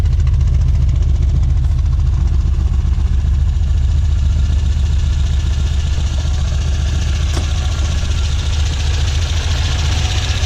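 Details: 1967 Volvo 1800S at start-up: deep, steady idle with an even low rumble, no knocks or misses; healthy warm-up idle.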